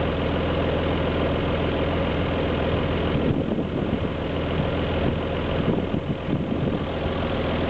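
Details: Alfa Romeo GT V6 at idle: steady idle with slightly uneven beat and occasional stumbles; misfire at idle.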